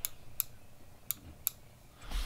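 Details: Grand Design Momentum RV microwave door switch assembly (three switches, one broken with no resistance or click): four crisp, sharp clicks in about 1.5 seconds in a quiet room from a good switch actuating cleanly.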